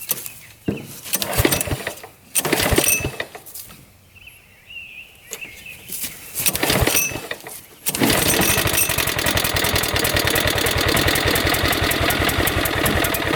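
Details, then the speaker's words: Riding mower with a freshly bolted-on Kohler Command engine, believed 14 hp, new battery, test run clearing brush: after a few rough bursts the engine catches and settles into a steady, even run under load; running normally. "Alright, test run. That works pretty well. That cuts really nice. Not too bad."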